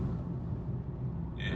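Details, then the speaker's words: BMW E9X 325i N52 in sixth gear at about 1100 rpm after fixing DISA valve rough idle issue; smooth steady low rumble pulling at low revs, no stutter or surge, where it previously misfired around 1500-1600 rpm. "no stutters it is so much more drivable that's good"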